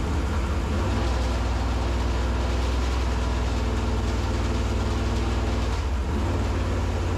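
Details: 1964 Corvette vintage racing car (#49), engine fired in garage after oil-pump priming with a drill: deep, loud V8 rumble running steady and even with a slight dip near the end, smoky; engine running normally.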